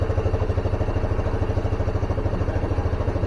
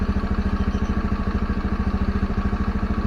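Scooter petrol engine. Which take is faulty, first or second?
first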